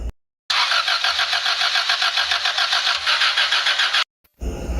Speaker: ayaw talaga umandar ah